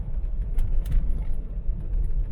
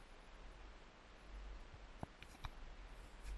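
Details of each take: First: MK3 Ford Cortina road test after fitting new uprated Burton front springs, driven over very bumpy roads: steady road rumble with soft thuds over bumps and no scraping or bottoming out; suspension sounds normal. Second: Mk3 Ford Cortina being jacked up on its old front coil springs, before the swap to uprated Burton springs; irregular squeaky creaks and dull clicks come as the front suspension unloads, with some tyre noise mixed in.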